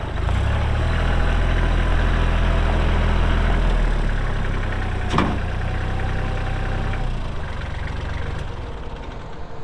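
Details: Kubota L3240 4WD tractor, pre-emissions 32 hp diesel, 94 hours, gear drive. A deep, even diesel thrum at idle with a regular beat and no knocks or misses; normal idle.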